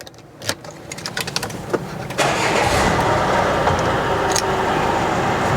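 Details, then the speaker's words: 2013 Peugeot 3008 2.0 HDi diesel, 1,997 cc, 147,362 km, timing belt replaced around 120,000 km: few clicks, starts at once and settles to a quiet even idle with no harsh knock; normal healthy start and idle. "소리가 뭐 휘발유 차량이라고 해도 믿을 정도로 엔진 소리 아주 조용한 걸 보여주고 있고요."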